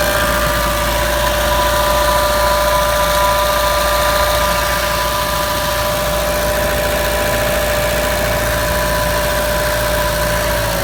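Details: New Chevrolet Trax petrol engine at idle with a fast, regular light rattle over a steady hum; owner unsure of the cause and feels a car this new should not make that noise.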